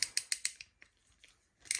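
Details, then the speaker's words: Restored 1951 Vendo 39 Coke machine crank assembly being tested by hand: four crisp, evenly spaced metallic ratchet clicks, a pause, then a final clack as the latch locks, normal operation. "you should hear that clicking. As you hear that is locking that down."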